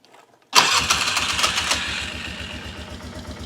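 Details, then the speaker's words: 2005-06 Polaris Sportsman 400 that wouldn't drive after mudding, after throttle cable adjustment: starts cleanly and settles into a steady, even single-cylinder idle with no stumble or cutout; running normally. "So, if I start this up now, it's good. You can hear it running good."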